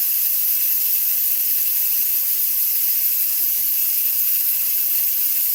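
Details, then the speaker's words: Nesco electric pressure canner after chicken canning cycle finishes, valve turned from airtight and unplugged: steady loud unbroken steam hiss, no rumble; normal pressure release. "So, if you hear that pressure, it's not as loud. So, what I need to do now is take it from air tight and turn it and then I unplug it."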